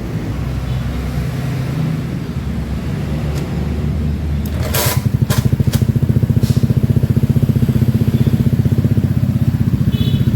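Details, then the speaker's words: Honda Beat FI scooter after repair of a fuel pump that did not prime, traced to the ECU-to-relay circuit, with the ECU ground rewired: the engine catches and settles into a steady, even, fairly quick idle with no misses or knocks. "Oke, jadi masih bisa menyala mesinnya."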